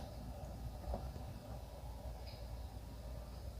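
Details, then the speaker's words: Hyundai Grandeur HG after replacing the faulty vent-direction actuator, which had caused a crackling modem-like noise: steady low cabin hum with no crackle while vent positions are cycled, confirming quiet normal actuator operation. "정지 정확하게 했습니다 예 소리는 이렇게 안 나는 걸 확인을 했구요요"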